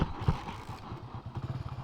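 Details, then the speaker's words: Hero HF Deluxe motorcycle after rear half-axle bearing replacement, test ride: low steady engine thrum and light clatter, no grinding from the rear wheel; earlier grinding noise gone, bearing running quietly. "Finally സംഭവം ready ആയിട്ടുണ്ട്. ആ കരയരപ്പ് sound ഇല്ല കേട്ടോ. അടിപൊളി."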